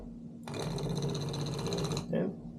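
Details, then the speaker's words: Defective Simagic P-HPR Neo pedal haptic moved to the brake port of a P2000 control box, sounding the same as on the clutch port: harsh buzzing rattle for about 1.5 seconds, then a short burst; something loose clunking inside, cause unknown. "n hear it right away something is clunking around inside of it I don't know if the motor came off the track or whatever I don't know how these things even work but um obviously does not sound healthy"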